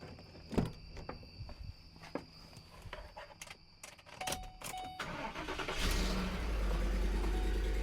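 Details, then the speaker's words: Ford Explorer Sport Trac after its exhaust manifold was reinstalled following broken-stud extraction, heat shield not yet fitted: it cranks, catches quickly and settles into a steady idle with no ticking or exhaust leak puffing. Repair successful. "I think that sounds like a vehicle is supposed to sound. So, I'll still need to I need to put on the heat shield and just put the tire on. But, I'm going to consider the repair a success."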